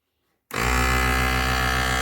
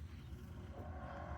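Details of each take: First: Task Force 2-gallon air compressor running after brush replacement, pumping up to pressure (about 60 PSI shown, 100 PSI red line); motor snaps on into a steady hum with an even pumping pulse, no sputter or stall; slight electrical smell as the new brushes wear in; running healthy. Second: Task Force 2-gallon air compressor, about 10–15 years old, that stopped pumping: only a steady fan hum with no pumping thuds, so the motor isn't turning; cause found to be worn motor brushes needing replacement.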